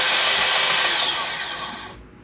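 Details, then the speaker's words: AirJet DLE170 paramotor that won't start: starter whirs high and spins the main drive gear freely, then winds down without turning the engine or propeller; slipping starter one-way bearing. "basically what had happened was the main drive gear that's attached to the back of the engine still spins with the starter motor"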